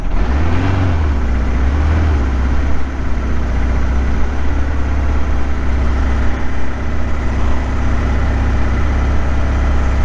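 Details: 1976 KZ900 four-cylinder after about 10 months of storage, started on fresh gas: a low, slightly uneven idle that blips up and settles. It probably needs a good run and Sea Foam to clean it up.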